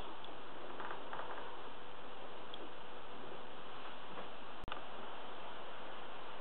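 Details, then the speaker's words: WLtoys V949 small quadcopter after balancing its propeller blades with a laser-dot method; steady, even buzz from the small geared motor and prop with no wobble, sounding much sweeter, laser dot barely moving. "but you can hear it sounds so much sweeter the dot hardly moves now"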